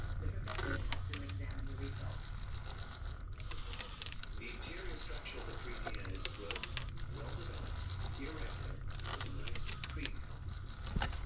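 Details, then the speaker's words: Digital8/Hi8 camcorder tape with sticky tape syndrome rewinding on a rewinder without disassembly: dry crackling and tearing bursts over motor hum, like masking tape, as mold bonding the tape layers breaks. "but because this has this opening this works great without disassembly you can hear that mold breaking"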